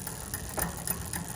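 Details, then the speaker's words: Bicycle rear derailleur on a cassette up to 34 teeth, barrel adjuster turned to over-tighten or loosen the cable: light regular metallic ticking over the chain whir as the chain rubs the adjacent cog; recentering cable tension removes it. "that noise we're hearing the noise of it contacting the left extra cog okay and as I go back to Center we remove that noise vice versa if I go clockwise we're gonna start hearing that noise again that's it contacting the other side"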